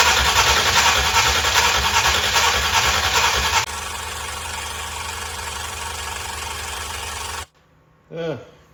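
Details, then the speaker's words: 1965 Ford Thunderbird FE 390 V8 cranked while fuel, primed by suction from the tank line, isn't yet reaching the carburetor. Steady rhythmic cranking at about 2.5 beats per second never catches. "doesn't seem to want to come the rest of the way okay let me think figured this would be like really easy"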